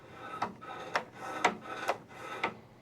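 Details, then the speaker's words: Snowblower that runs but won't throw snow, auger not turning when engaged: auger engagement handle worked, five short rasping slides about half a second apart as the cable to the bottom moves freely, so the cable is working. "If you look at your auger engagement handle, there is a cable that attaches into it and goes to the bottom. We can hear it move as we're engaging this."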